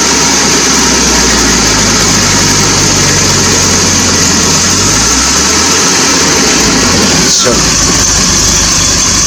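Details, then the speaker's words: 1980 Triumph TR7 started cold while checking a suspected failing water pump leak; steady low idle with a faint unevenness and a brief rise in pitch near the end, nothing wrong heard. Normal cold idle. "And like I say, she might run a bit lumpy because she's cold."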